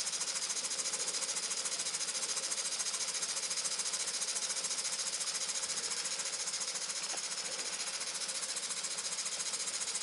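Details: Muncaster table engine run on a 3-inch fire-tube boiler, gauge back to about 160: fast, even chuffing exhaust beats three to four per second with steady hiss; engine running smoothly and steadily picking up speed.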